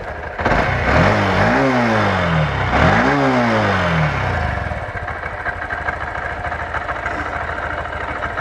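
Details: 2023 Honda CB125F warming up after a valve clearance check and adjustment: two clean throttle blips, then a steady even idle with no rattle. An earlier rattle was probably the exhaust valve not opening enough; no oil leak at the valve cover.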